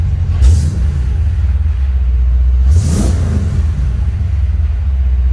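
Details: 1956 Ford F-100 V8 with EFI, running again after a new wiring harness install: deep, even rumble with two clean throttle blips that rise and drop smoothly, no misfire or knock. Normal running.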